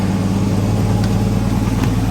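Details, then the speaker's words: Phoenix, previously hard to start and barely running, after coils and other parts were checked: it starts and holds a low, uneven, slightly lumpy drone, still not running 100%. The cause is not yet identified. "and it's still not you know 100 by no means but at least we start run"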